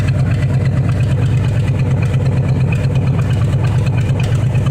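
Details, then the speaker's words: Chevrolet El Camino V8 idling with a lumpy, uneven exhaust beat and regular stumble; burned exhaust valve, not timing or an exhaust leak; also raw fuel smell and about 5 MPG. "Here's how else you can tell it's got a burn valve. And no, this isn't just bad timing."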